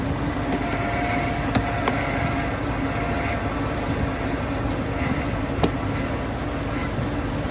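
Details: 1999 GMC Sierra 1500 V8 started and idling, with a suspected water pump leak: steady, even idle with a smooth low rumble and no knocks or ticks. Normal idle.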